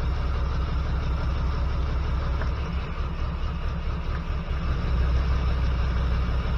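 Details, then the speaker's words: 1979 GMC C15 with LS swap, P0300 misfire code: low, lumpy idle with uneven beat and occasional stumbles; pulling plug wires, cylinder 1 showed no change despite arcing spark, so owner believes number one injector is bad. "It's arcing, so my injector must be bad. See? Not. So, I believe my number one injector is bad."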